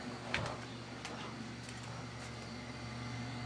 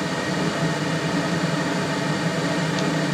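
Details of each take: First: Newly installed Taco boiler circulator for the basement zone, replacing a leaking mid-1970s GE pump. After one relay click only a faint, steady low hum remains, barely above room noise: the circulator runs quietly and normally. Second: Hydrotherm boiler (mid-1970s) burner fired with flame guard and all covers removed: steady, even roar with hollow airy rush, no pulsing; excess air entering through open covers makes it noisier. Basement zone circulator just replaced with new Taco pump.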